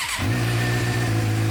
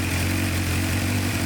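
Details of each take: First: 2006-2007 Suzuki GSX-R 600 warming up; steady smooth idle with even low hum, no misses or stumbles; sounds much better, clogged injectors still suspected. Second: 2006-2007 Suzuki GSX-R 600 four-cylinder left outside for months, wouldn't stay running, first start with airbox off: lumpy uneven idle with hollow intake roar; running really rough, cause not yet found.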